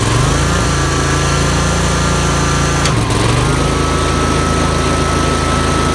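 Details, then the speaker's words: Yazoo MidMax 52 mower deck run without blades after installing cheap replacement spindles with the thinnest spacer: steady engine drone and even spindle whine dipping and recovering, no squeal or grinding; belt didn't smoke, spindles hot, normal operation. "alright I think that's pretty good pretty good test we didn't smoke the bell tinny"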